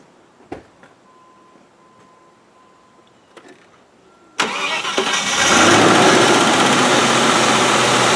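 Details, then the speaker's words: 1997 Land Rover Discovery 1, key would not start the engine: after resoldering a connector, a few clicks, short crank, then engine catches and settles into an even idle; starts normally. "it's not often i'm wrong but this time i'm right that was its problem took a little bloody bit of solder"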